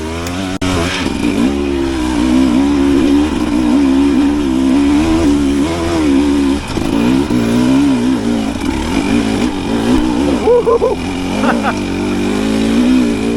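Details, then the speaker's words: 2025 Husqvarna TE300 TBI two-stroke after ECU remapping, on a trail hill: it idles with a steady burble, then climbs smoothly in pitch under throttle without stumbling or bogging, so idle and throttle response are clean. "Another little bit of hills just so you can hear how cleanly that idles and climbs after the mapping."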